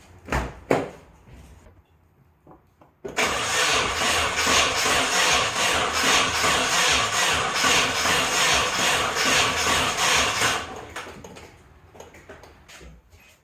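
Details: Nissan 240sx first start after rebuild, vague cam/ignition timing and very old fuel: about seven seconds of fast cranking, around two and a half turns a second, never catching; gasoline found leaking from injectors, fuel rail possibly installed wrong.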